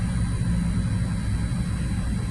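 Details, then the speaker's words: 2014 Dodge Durango 3.6 Pentastar after oil cooler replacement, warm idle at operating temperature, 48 psi oil pressure, transmission temp 86: smooth, even rumble with cooling fans whooshing, no ticks or knocks; normal idle. "all I know is that the engine fans are on I can hear them running um and the thermostat has opened so that's got to be operating temperature"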